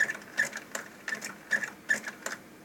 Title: Sony TC-K850ES hard start